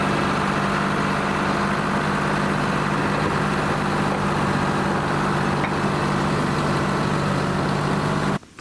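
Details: Lima 34 shovel at its first start-up after repairs, before greasing and digging: low, steady two-stroke diesel rumble at an even idle with no knocks or hunting; the engine is idling healthy.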